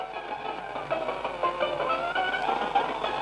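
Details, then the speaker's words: 35-year-old mini auto-reverse cassette player plays tinny music far too fast; the motor runs at full speed, its speed unregulated, and the speed preset needs replacing. "इसका आवाज देखो full speed में बज रहा है यह full speed में बज रहा है"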